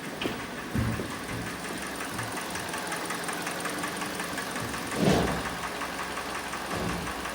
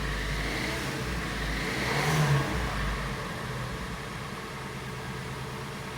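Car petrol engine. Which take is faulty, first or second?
first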